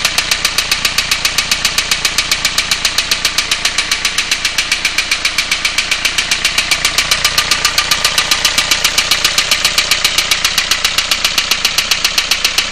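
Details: 2002 Renault Clio 1.5 dCi diesel idling with a sharp, rapid, even knock. There is lots of oil on three injectors and on the glow plugs; the owner plans to remove the head, cause unknown.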